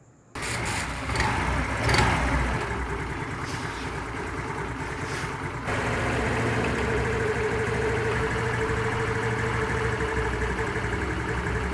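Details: Honda Activa scooter after carburetor cleaning, previously losing idle rpm and stalling: starts and settles into a steady, even idle with a light buzzing beat and no misses; normal idle.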